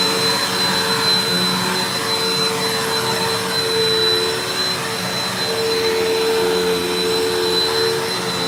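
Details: Mystery vacuum fitted with a replacement motor bearing from another vacuum, running: steady high whine with uneven wavering hum underneath that does not sound normal; possibly a rough bearing, owner later judges motor not shot.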